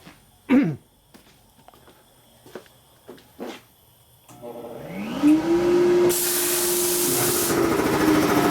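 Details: Dayton 240V 7.5 hp shop air compressor after repairs to the motor, reeds and capacitor and a pressure-switch spring tension adjustment. Clicks, then spins up to a steady, even hum, cutting in around 130 psi and building to about 162; it runs normally.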